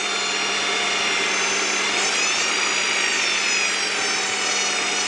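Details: 1998 Honda Prelude with flickering oil light at idle despite fresh oil change: loud high-pitched whine with stacked tones wavering slightly with engine speed; owner suspects oil pump, not power steering, pulleys or timing belt; cause unconfirmed.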